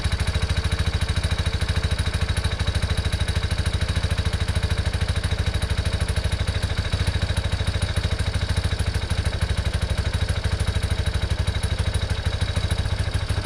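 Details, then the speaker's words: 1987 Yamaha Big Bear 350 4x4, fire-damaged, jump-started because its small battery could barely crank it: a single cylinder thumping at a steady, even beat with no misses or knocks; normal running. "well uh start it up just fine there"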